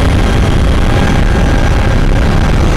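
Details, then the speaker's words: 2012 Toyota RAV4 EV with Tesla drivetrain at steady highway cruise around 60-65 mph: rough low grinding rumble loud in the cabin; drive unit/gearbox grinding, Toyota has agreed to replace the motor under warranty. "now they'll be replacing that motor I'm looking forward to that because that noise is really irritating at typical highway speeds of around 65 miles an hour uh it really grinds in the cabin and gets very annoying"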